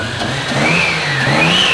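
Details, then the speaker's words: Turbo 2JZ-swapped FRS at its first start, warm engine, partial-throttle blips with the intake piping disconnected: a high turbo whistle rises and falls over the exhaust with each blip, so the turbo is spooling normally. "I can already hear that turbo singing so let's find out it's so loud I can hear the turbo over the exhaust"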